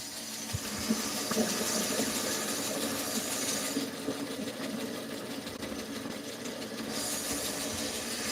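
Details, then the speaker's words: Band saw running unloaded with a rough, rattly whir, light uneven ticking and slight vibration from two worn guide bearings that need replacing; the bottom bearing spins free and is fine. "That noise that that's these two bearings right here."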